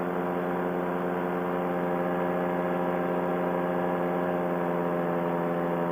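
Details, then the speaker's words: Paramotor two-stroke engine in flight, GoPro aimed at the engine: above half throttle while climbing, steady even high-revving drone with no burble or misses. The engine runs smoothly, though it burbles at or just below half throttle. "Now once I get above half, she's smooth as can be. Look at that thing lifting me up, boys."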